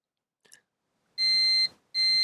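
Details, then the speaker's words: Manta SPK15GO Bluetooth speaker mainboard, multimeter continuity test: two clear, steady high beeps about half a second each across the first capacitor, showing it is shorted. "z o.o już wkrótce wsiadła bo jest zwarcie na tym pierwszym tutaj kondensatorze i"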